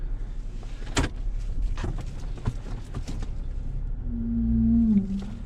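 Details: Toyota Avalon, year unknown, in for no A/C airflow, creeping toward the lift: a few knocks then a low groan for about a second; cause uncertain, possibly the rear brakes.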